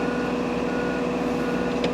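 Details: 2024 John Deere 35P mini excavator moving forward with work lights on: a shrill alarm tone holding over steady diesel rumble; normal travel warning, cancellable by button but returns after each stop.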